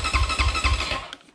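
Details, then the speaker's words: 2020 SSR Motorsports SR300 four-stroke dirt bike after new Lectron carburetor install, fuel in bowl: about a second of rhythmic cranking chuffs, then dies without catching; crank no start due to no spark at the plug. "so we know we have fuel we see it in the bowl we know we have air i went ahead and checked the spark and there is none"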